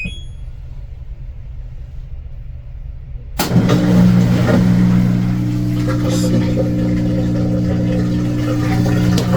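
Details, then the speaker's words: LG front-load washer that had an OE error and would not drain, after a new drain pump was installed. The pump kicks in with a steady low hum, no rattle or grind, and drains normally. "draining. You can hear it. It was draining. So it's working."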